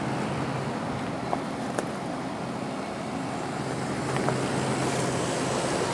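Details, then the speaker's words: 1989 Carrier 6200 BTU window air conditioner with a rotary compressor, probably Toshiba, running on high fan. Even rush of air over a low constant hum, no rattles, amperage within spec, ice-cold air: normal operation. "So, it seems to be working exactly the way it should."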